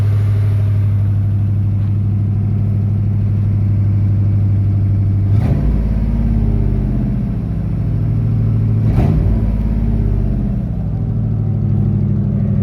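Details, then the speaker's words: Truck V8 started after sitting several years, steady low idle a touch fast with two quick throttle blips; slightly high idle, owner suspects fuel aerating from fuel-line setup; no bottom-end noise, slight misfire noted. "sounds pretty good a truck that's been sitting for a few years idle's a little high but I think the fuel is probably air rating from the way I got that fuel line set up and whatnot"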